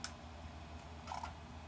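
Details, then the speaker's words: Bench test of a repaired Mercedes E320 throttle control module with the throttle body unplugged to simulate a throttle body fault: under a low hum, a sharp click then a faint double click as the relay drops out and shuts down. "if something is wrong with throttle relay clicks and shut down for example if I unplug the throttle body here just let's mimic that we have something wrong with throttle body"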